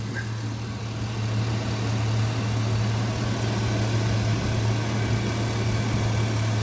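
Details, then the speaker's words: Car engine at idle, heard near the intake, which audibly sucks in air from both sides: low, steady, even beat with a soft air hiss; smooth and healthy, no knocking. "That little booger right there, man, that thing right there's going to suck in some air. I can actually hear it a little bit and feel it."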